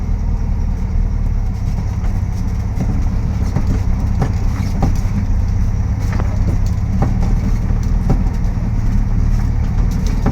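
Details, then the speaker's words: Volkswagen Beetle (Fusca) on test drive: steady low engine drone with sharp, irregular ugly clunks from the front end while rolling, before teardown. "estão escutando aí é um barulhinho bem feio e a gente vai dar uma revisão Zinha nesse carro né"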